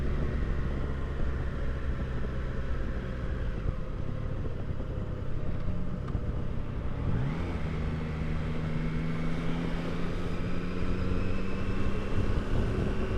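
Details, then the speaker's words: 2022 Triumph Tiger Sport 660 riding after its 600-mile service: loud whirring whine from about 37–38 mph, rising in pitch with speed, with vibration through the footpegs; chain adjusted far too tight. "So it's like a loud whirring sound, like you could actually hear the gears turning. And certain frequencies are louder than others."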